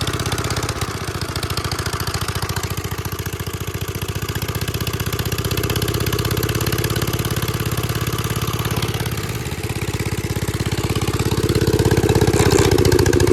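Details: 1946 Gravely Model L single-cylinder, revived after about five years unused, started on ether with a suspected faulty carb float, in neutral at mid throttle: steady, even chugging around two firings per second, settling into a healthy idle.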